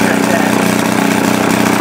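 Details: 1937 Maytag Multi-Motor model 72 twin-cylinder with WICO magneto, under restoration, run after adding gas following fuel starvation: quick, even putt-putt holding steady speed with no misses or knocks; normal running.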